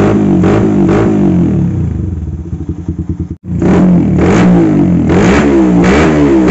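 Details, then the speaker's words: Carbureted motorcycle with vacuum fuel tap, after fixing stutter at low and mid rpm without retuning carb or changing plug: crisp even blips, clean pickup, no stutter, now able to idle again; normal idle and revving. "Nah teman-teman bisa kita dengar sendiri untuk suaranya tidak brebet lagi ya seperti tadi sekarang di bagian gasnya pun normal"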